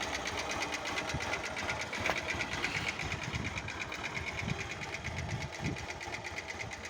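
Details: Honda Fan 125 motorcycle at idle: uneven light tapping about three knocks a second over the engine note; knock suspected from connecting rod or piston, source unclear.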